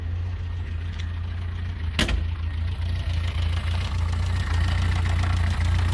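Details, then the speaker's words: Fiat 600 revived after years unused, new cap, rotor and fuel filter, jets cleaned, idle mixture set, valves still needing adjustment: low lumpy idle with uneven beat and a sharp snap; rough idle from erratic ignition timing. "I've set the timing check the timing it's got erratic timing which doesn't isn't good"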